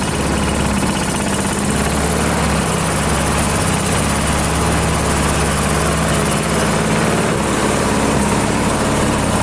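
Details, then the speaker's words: AL-KO Silver 52B self-propelled mower, Briggs & Stratton 675 series engine, run at half throttle without the air cleaner to warm the oil before draining: loud, constant even buzz with no stumbling, surging or knocking; runs fine. "Yeah, it sounds like it's running just fine."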